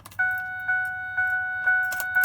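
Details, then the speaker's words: 2005 Ford F-150 after gauge cluster swap from an FX-4, odometer programmed to match, high mileage: clear two-tone chime repeating about twice a second on key insertion; reminder chime works properly. "And you'll notice I put the key in. You'll hear it"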